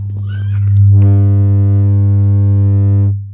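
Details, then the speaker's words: Home theater with woofer problem, on normal AUX input after plugging in power: steady low continuous beep about two seconds, woofer not working; the beep occurs only when the amplifier IC is damaged. "Continuous గా beep sound అయితే వస్తుంది అంతే కానీ ఇంకా ఆ woofer అయితే work అవ్వట్లేదు ఈ యొక్క ప్రాబ్లం ఏంటంటే ఐసి మనకు డామేజ్ అయిపోయినప్పుడు మాత్రమే మనకు ఈ యొక్క బీప్ సౌండ్ అయితే వస్తుంది"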